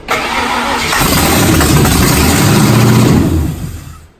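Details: 1992 Ford Mustang GT 5.0/302 V8 first start, running briefly on starter fluid with fuel lines not yet hooked up: brief crank, catches and runs strongly on a steady rumble for a few seconds, then winds down; healthy start.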